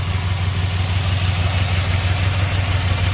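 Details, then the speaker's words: 2002 Chevy Impala 3.4 running rough with code P0300 (random misfire): a lumpy idle with an uneven low thump, about three beats a second, stumbling irregularly. A broken, glued bleeder valve and a vacuum leak were also found. The misfire is traced to a failing ignition coil. "all right hear that misfire let's go and look at the engine"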